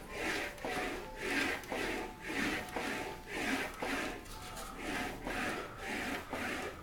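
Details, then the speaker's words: English wheel shaping a Wolseley Hornet Swallow sports body panel, cross-direction wheeling: even rolling swish about once a second with no rattle; rattling gone, panel wheeling smoothly. "the rattling noise is now gone and it's becoming a more smooth the noise"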